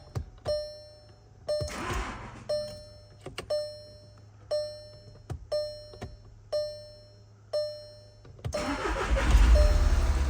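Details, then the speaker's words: Wrecked 2014 VW Jetta SportWagen TDI, 2.0 L CJAA turbo diesel, 115,000 miles, auction-listed as non-starting, battery on charger: several clicks and chimes, then catches into steady diesel clatter and idles nicely, alternator working; normal start. "there it is yes yes let's go it sounds so good wow well the alternator is working wow it sounds so good the auction listed it as does not start and it idles nicely"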